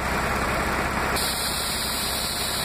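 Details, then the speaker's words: Toyota MR2 with 2GR-FE V6, idling with A/C on at about 640–650 rpm. A DIY idle-up VSV, powered by an external battery, is opened. A sharp airy hiss of unmetered air is drawn into the intake, and idle slowly rises toward 710–720 rpm. "I've opened the VSP you can hear the air being sucked into this port and we're going to see the idle rpm rise slowly"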